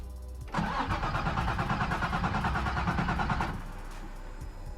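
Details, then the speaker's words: Nissan 350z, crank-no-start diagnosis, after cleaning up ground connections while hunting a harness short: steady starter churn, about three compression pulses a second, never fires. Cranks but won't start; cause unconfirmed. "this is me trying to started up after cleaning up the grounds"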